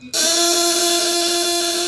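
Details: 12V contact-breaker (platina) shocker, 1.5 kg, on a 200–1000 W load test, run without the upper stop setting. A harsh high-pitched buzz with a slightly wavering tone as the breaker arm chatters unrestrained; it needs its upper stop set.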